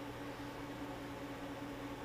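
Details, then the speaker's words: Off-grid solar system first startup on generator AC power: inverter/charger cooling fan ramps up as charge current rises to about 88–90 amps, a quiet, steady whir with faint hum and no rattle; normal cooling fan running. "all right it's ramping up the current right now you can hear it listen to that that's the fan"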